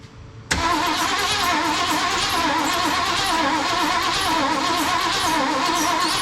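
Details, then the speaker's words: 1974 Ford Bronco, not started in over 16 years: steady rhythmic cranking six seconds, never fires; no fuel reaching carburetor, fuel pump long dry. "Okay, no fuel. We'll try to give her a little pressure here. I'm sure if everything else is dry, that pump's been dry for a while."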